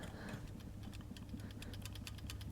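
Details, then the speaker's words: Vauxhall Zafira GSI rebuilt Z20LET, removed balance shaft assembly turned by hand out of the engine: faint, quickening dry clicks, identified as the cold-start rattle; the noise comes from the balance shafts, not the engine. "there we go that's the noise i was hearing that is good news that means not the engine it was this"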